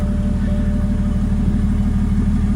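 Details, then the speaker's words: MKV Toyota Supra big-turbo build, first start after interchiller and coolant line repairs. Low, lumpy, uneven idle for a moment; the owner suspects condensation or water left in the intake manifold and lets it warm up to evaporate it. Rough idle, cause unconfirmed. "Start it up. Little rough idle there for a second."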